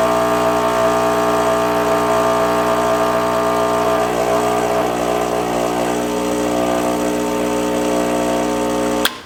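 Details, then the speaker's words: Rancilio Silvia M single-boiler espresso machine after full service, running cool water into the boiler to cool it after steaming: loud steady buzzing drone about nine seconds, then cuts off cleanly, normal pump operation. "you're gonna run it until all the hot water comes out which is about four ounces of water you can see here we're just running cool water into the boiler to cool it"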